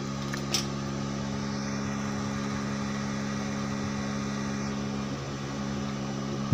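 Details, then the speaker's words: Daesung ARC120E 900 W welding transformer after more than two years of use, just switched on: a steady, even fan hum and airy rush, slightly noisy but normal cooling fan operation. "Kemudian terdengar juga suara kipasnya agak sedikit berisik gitu."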